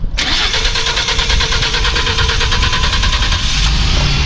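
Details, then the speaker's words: 2016 Ford Transit 3.5L gas van, after replacing the low-pressure in-tank fuel pump for a fuel delivery/pressure no-run: quick crank, fires at once and settles into a smooth, even idle with no misses or knocks: normal engine start. "Hey, >> it works. We are running. All right, we're going to let that run for a minute here."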